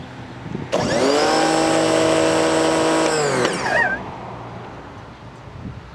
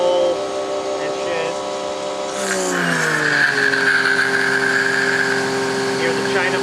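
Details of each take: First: New Campbell-Hausfeld PW1835 1800 PSI electric pressure washer with a universal motor, first run: motor spins up to a high steady whine for about three seconds, then winds down cleanly; normal running. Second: Campbell-Hausfeld PW1835 1800 PSI electric pressure washer, universal motor: whine jumps sharply in pitch when the wand is dialed to low pressure, holds high, then drops back; motor overspeeds when unloaded.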